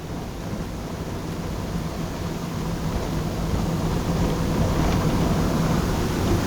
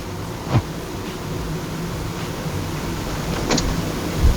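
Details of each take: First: Interior plastic trim rattle on a 2011 Honda Jazz driven over paving: dense cabin road rumble with quick, uneven plastic ticks and rattles growing louder; rear door trim clips had been found brittle. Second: 2011 Honda Jazz in the cabin over a speed bump, mic near the door, after replacing the door trim clips: low rumble and dull thumps, no trim rattle, quieter than before.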